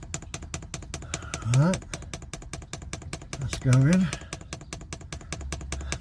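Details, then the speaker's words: Diesel heater being fitted in an LDV Convoy, fuel dosing pump priming: rapid, even, steady clicking with some air bubbles coming through the line; pump working normally. "know if you can hear the pump clicking all right it's coming through bit of air bubbles"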